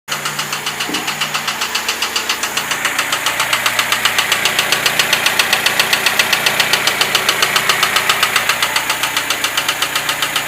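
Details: Lada Niva 21213 engine at idle: sharp, regular knock about four a second above the engine hum; engine knock, source not pinned down.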